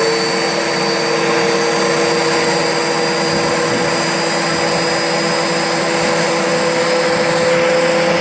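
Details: Turbo barrel on a cage buggy heating wood for pyrolysis gas: steady turbo whine whose tone sags and wanders instead of holding pitch; boost comes up then falls off, cause unknown.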